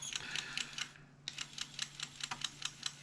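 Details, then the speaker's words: Atari STFM floppy drive on reset: sharp, irregular ticking about twice a second as the head seeks without reading. The drive is carving a groove into the disks, so the floppy drive is failing. "I think the drive is just dead to be honest"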